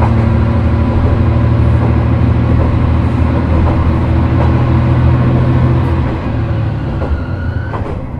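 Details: Isumi Railway Isumi 300-series railcar Isumi 302, accelerating: low steady engine drone with a held humming tone that rises then fades; possible odd noise, cause unclear.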